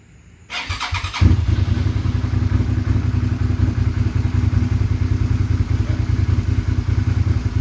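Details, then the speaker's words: Motorcycle after replacing a failed fuel pump with a high-performance pump. The engine catches after a short crank and settles into a steady, even idle thump with no misses; it runs well. "so one hand I'll fire it up runs good took it for a test drive about five minutes ago"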